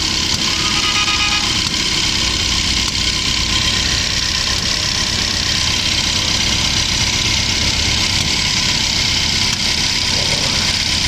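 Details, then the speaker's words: BAIC BJ40L four-cylinder petrol engine idling unevenly with a stumbling beat; cylinder 4 dead even after new spark plug with coil sparking fine and injector checked; valve fault found, head opened. "चार वाला काम नहीं कर रहा।"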